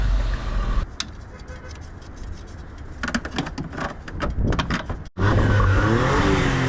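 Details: Suzuki Cappuccino kei car on a test drive after vacuum line replacement: small engine pulls smoothly through the revs with road noise, no stumble or hiccup; hesitation appears fixed.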